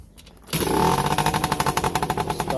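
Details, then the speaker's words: Yamaha PW50 sat 5 years, restored to OEM carburetor and throttle cable, oil pump adjusted, new plug: fires first try, settles into crisp, even two-stroke idle with steady popping, no longer smoking. "way easier now got a nice idle [Music] not blowing h of smoke anymore"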